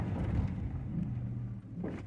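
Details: 2005 Chevrolet Silverado, owner complains of a braking noise, spongy pedal and a warning light; on this stop the truck rolls to a halt with only low road rumble, no grinding, clicking or pulsing; braking sounds normal.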